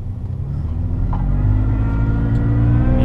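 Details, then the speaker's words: Toyota FJ Cruiser with twin-screw supercharger on stock pulleys at 6 lb boost, driving: deep engine rumble under acceleration with a faint rising whine tracking revs; normal supercharger whine, exactly as it should sound. "hear the supercharger it's exactly how a twins screw supercharger is supposed to sound it has a wine to it"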